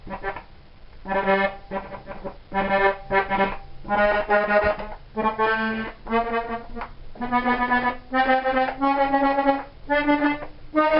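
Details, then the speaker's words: Accordion with a sticking top key: chords swell and fade with the bellows, but a stray second note sounds on compression; top key pallet sticking. "well that top breeders got a bit of stickiness on it you can hear if you were on the compression you can hear a second note sounding"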